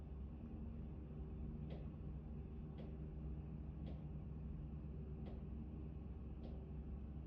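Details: Actron Neo ducted air conditioner: sharp single knocks roughly every second over a steady low fan hum, intermittent knocking in the ductwork, cause unclear.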